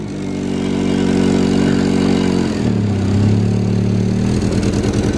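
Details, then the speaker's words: Honda CR-V engine idling and revving unevenly, wavering stumbling drone; it was throwing misfire codes for every cylinder. "they said it was throwing codes for misfiring on every cylinder so they dropped it off here"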